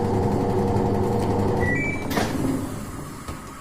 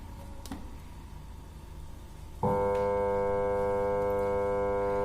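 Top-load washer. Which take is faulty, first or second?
second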